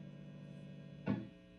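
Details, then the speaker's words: Vintage V6 Strat-style guitar with Fender Custom Shop Fat '60s single-coil pickups and cavity shielding grounded, amp at full volume. A steady low mains hum with one short pluck and no crackle. Normal single-coil 60-cycle hum. "That's just single cycle hum."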